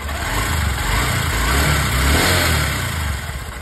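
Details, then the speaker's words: Honda SP 125 BS6 single-cylinder motorcycle after tappet clearance adjustment with a feeler gauge to cure a ticking noise from loose tappets: steady, even idle with a smooth beat and no top-end clatter; normal idle after repair. "देखिए मैंने bike फिर से start किया और अब engine की sound जो है बहुत ही बदल चुकी है बेहतरीन हो चुकी है"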